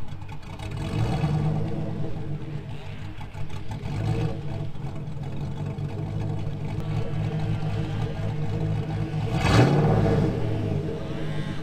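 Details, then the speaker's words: 2000 GMC Sierra 5.3 V8, Texas Speed Stage 3 cam (216/220, 112 LSA) on factory stock tune, fully warm past about 175-180°F; lumpy idle, one short rev blip sags quickly back, won't sustain throttle. "It was revving just fine up to about 175, 180 degrees once it was really up to temperature. And then once it got really up to temperature and you would rev it, it would die back down."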